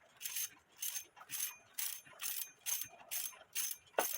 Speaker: So that needs a bushing, and the strike side needs bushings. And after we fix the bushings, then you shouldn't hear this grinding noise.